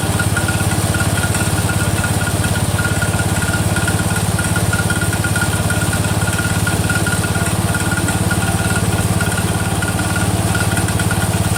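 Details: Cub Cadet 102, freshly rebuilt Kohler single-cylinder: steady idle with light regular click keeping time with engine; front pulley breaking up, not the rod.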